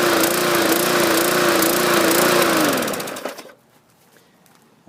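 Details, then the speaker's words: 2014 MTD 20-inch push mower, 300E engine, main jet bored out to 0.6 mm: small single-cylinder pitch wanders up and down instead of holding steady, then winds down; surging, owner suspects oversized jet, plans stock jet replacement. "there you go plugged in make a difference still surging I'll have to remove the carburetor and put the uh right size cartridge back in it"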